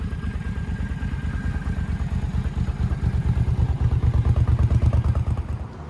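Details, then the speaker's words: Suzuki Boulevard C50 / VL800 Volusia V-twin idling after tune-up (new plugs, new fuel line, carb cleaned), previously only ran on choke: deep, even loping thump with no misfires; runs well after test ride. "alright guys I just got back from a little test ride and yeah she runs real good now rides real nice so yeah I think I think this one's about done"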